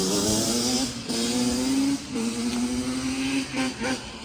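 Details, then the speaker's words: Customer two-stroke J-arm bike of uncertain year (possibly 1989), after a carb rebuild with the idle and air screws set, engine moderately warm. Crisp idle picks up cleanly on light throttle blips and settles back evenly: running healthy. "We got this bike running good, running decent. She ain't no superstar or nothing, but it's running way better"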